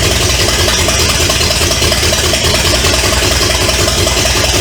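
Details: 1970 Pontiac LeMans with Pontiac 350 V8, abandoned for decades, first start, running without coolant through open exhaust: loud rough-edged but steady idle with no knocking or misfire, until it ran out of gas; normal idle.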